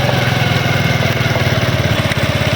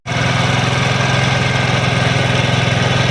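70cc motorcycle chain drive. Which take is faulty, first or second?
first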